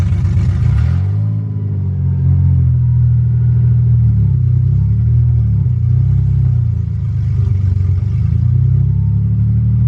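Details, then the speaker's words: BMW 330i drift car, just fitted eBay headers, exhaust disconnected as flanges didn't line up: deep, loud, uneven unmuffled burble swelling with each throttle blip; open header exhaust. "The exhaust is still not connected because the flanges on the headers and the whole exhaust did not line up. I just want to see what it sounds like open header, because that's what I do on everything."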